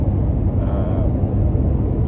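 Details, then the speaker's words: Toyota Tacoma on aggressive off-road tires, about 35 mph on rough pavement with windows up: a steady low drone and hum, a bit louder than stock tires but not horrible; normal off-road tire road noise. "the smooth Road we were just on definitely can hear the tires on this road and it's not horrible but it is there and if you're sensitive to to that then you are going to hear it"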